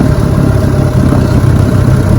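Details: Fully restored 1958 Johnson 18 HP FD-12 outboard, lake test: low, steady burbling idle with an even beat, no misses or rattles, idles so low the kill switch is needed to stop it; normal idle.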